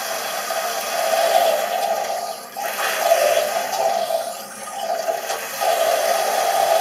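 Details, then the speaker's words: Toilet cistern: steady hissing trickle of water that never stops, with no overflow; the continuous noise means the fill valve diaphragm seal (joint de membrane) is leaking, not the flush valve seal, so the cistern never fills and keeps releasing to the bowl. "C'est en continu. Quand vous avez un bruit en continu ici, c'est pas le joint de la chasse d'eau qui fuit, c'est le joint de membrane."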